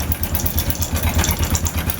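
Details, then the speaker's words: Honda Wave 100 with a noisy engine, before teardown: small engine idling with a fast, even metallic clatter, about eleven beats a second over the thump; not a connecting rod sound, timing chain rattle suspected. "So ganyan kaingay mga master. Ayan kung maririnig niyo sobrang ingay niyan."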